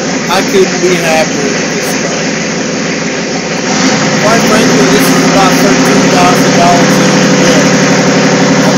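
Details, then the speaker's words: Freshly overhauled Volvo Penta AQAD40B marine diesel with new glow plugs, first start in the shop: cranks a few seconds, catches and settles into a steady, even diesel idle with no knocks or misses; fired up, no problems. "finally here we're in the shop getting ready to fire it up for the first time so here we go thanks you can tell I'm pretty excited fired up problems fired up"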